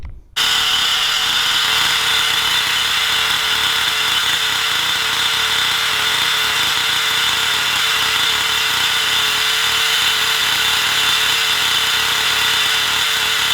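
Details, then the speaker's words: XTM Monster MT nitro RC truck with a very quiet exhaust, so mostly the mechanical engine sound is heard. A high, even buzzing scream that holds steady with no misses, surging or rattles. Running normally. "Well, that now runs absolutely brilliant. I mean, I can't complain about that at all now. That is absolutely perfect."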